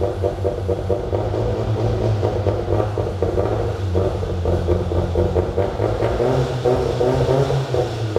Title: mr2 first idle with exhaust, untuned and with vacuum leak